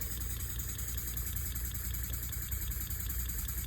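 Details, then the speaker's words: Elmer's #33 model mill steam engine on compressed air at roughly 2–5 psi after redoing packing; quick steady chuffing with faint hiss, much quieter than before, slight leak remaining at one fitting; normal smooth running. "Oh yeah, that's much better, much quieter. It was definitely leaking a lot of air before."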